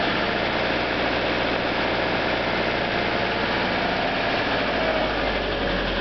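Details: EJ25 engine in a 1997 Subaru Outback, cold at idle: fast, hollow knocking rattle of piston slap; owner plans new pistons someday.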